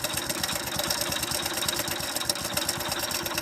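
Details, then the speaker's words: Fast, even ticking knock over a busy idle in a worn-out motorcycle engine; the mechanic calls the "kirru" sound connecting-rod noise, mixed with bearing and timing-chain sounds. "కిర్రు అని sound వస్తుంది చూసినా, అదే అనమాట మనకు engine లోపల connecting rod sound అనేది."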